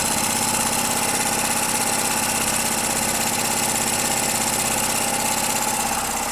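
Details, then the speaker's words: Petrol generator that would not start after long storage, now running after WD-40 against carbon deposits: steady, even hum at constant speed with no knocks, misses or surging; running smoothly. "Как вы можете видеть и слышать, всё работает безупречно."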